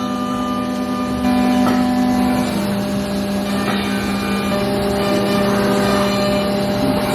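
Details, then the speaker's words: Milling a thin, laser-cut aerospace bracket held in vises: a steady, ringing hum near 200 Hz sings over the spindle noise as the cutter reaches the unsupported hollow middle; chatter from the part vibrating, possibly eased by a lighter cut and a skim pass. "It gets to the middle where there's no support, it's like pushing down. You hear it start singing when it gets to the >> [music] >> middle of the axis."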